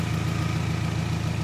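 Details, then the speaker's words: Toyota Camry running on popcorn butter in place of engine oil, warm at operating temperature, oil pressure about 15–20 PSI: smooth, quiet low hum with soft even pulse, no ticking or knocking; healthy warm idle. "which is probably normal for an, operating temperature engine. And just listen to it. Nice and quiet."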